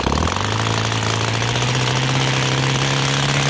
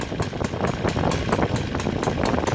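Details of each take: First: O.S. FT-300 twin converted to full gasoline with CH ignitions (idle 1200-1400 rpm, WOT 7000 rpm, Xoar 21x8 prop) after raising the idle: revs cleanly from idle, pitch climbing steadily with no stumble; smooth throttle transition. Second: OS FT 300 converted to full gasoline at 20:1 mix by CH Ignitions, Xoar 21x8 prop, idling too slow below about 1400 rpm: slow, loping, unevenly spaced firing pulses, burbling rich and not reliable; rich low idle.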